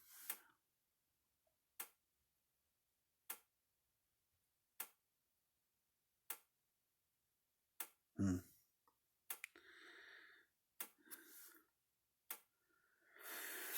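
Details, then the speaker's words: Patriot SG155 Solar Guard solar fence charger, switched on for testing before opening: sharp single ticks about every 1.5 seconds, roughly forty a minute, in a quiet room, with an unusually long indicator flash; owner suspects a battery issue. "little splash is like every a really long flash i don't know what the hell that means so maybe it's just a battery issue i don't know they don't really tell you too much in the manuals this thing"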